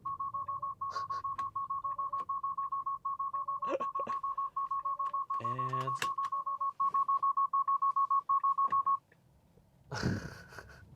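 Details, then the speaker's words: Tesla on Full Self-Driving 12.3.3 with seat belt unbuckled: quick, even high-pitched beeps about three a second, then they stop; car turns on hazards and slows down. "if you really want the system to go bugging out what you do is you put it into full self-driving mode here and then you take off your seat belt [Music] and then it turns on the hazards and then it slows you"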